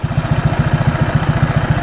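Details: Honda PCX scooter with Yamaha Aerox pulley fitted, after 6000 km and DIY CVT cleaning: steady even low putter about eleven beats a second, no knocks or scraping; clean healthy idle.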